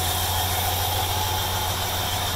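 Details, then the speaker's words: 1965 Chevrolet Caprice 396 V8, 98,000 miles believed actual, idling with a steady, even low hum, no knocks, misses or surges; smooth normal idle. "as you can hear it idles extremely nice nice and quiet"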